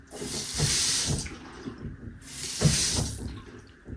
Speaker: What you were hearing there was waterhammer, that banging noise. What that is, if you do have it, there is quite an easy way to get rid of it, and I'll show you exactly what to do to make it happen.